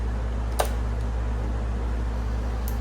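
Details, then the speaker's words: 2002–2006 Harley-Davidson Road King, run switch on, testing fuel pump priming circuit wiring: a steady low hum with one sharp click as the relay drops out when priming ends; pump is getting power, normal relay click. "You can hear the relay click when that priming circuit goes off. So, we know that the pump's getting power."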